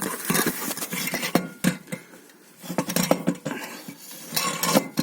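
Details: Toyota Caldina 215, underbody knock over bumps and potholes: irregular tinny metallic clinks as a loose cover is shaken by hand against the exhaust pipe; a bolt had come loose, letting the cover rattle.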